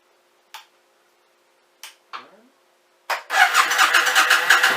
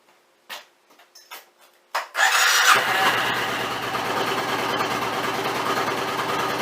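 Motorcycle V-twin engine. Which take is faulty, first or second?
first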